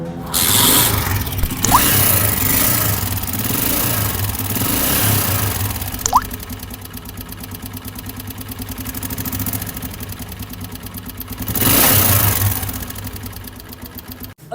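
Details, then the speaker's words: Honda CG 125 single-cylinder engine idling and revving: hard rapid mechanical clatter over normal beat; abnormal engine noise, low or missing oil suggested as first check. "इस तरह की आवाज़ अचानक से आपकी bike के engine से आने लग जाए तो सबसे पहला काम जो है आपने क्या करना है कि अपनी बाइक को डबल स्टैंड पे खड़ी करके ऑयल गेज खोल के ऑयल का लेवल चेक करना है।"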